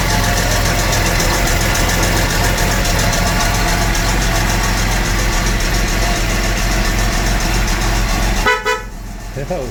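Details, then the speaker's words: 1975 Jaguar XJ6 Series 2 SWB after full mechanical rebuild, unstarted for months, cold start on choke at fast idle: light quick valve train ticking over the rumble; valve clearances may need re-shimming. "Sounds like it might need re-shimming a bit."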